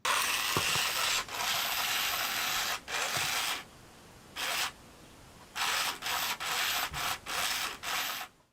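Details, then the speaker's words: 1998–1999 Furby with dead speaker: bursts of dry raspy gear whirring with no voice at all; mute Furby, speaker needs replacing. "only hear the gears when they talk."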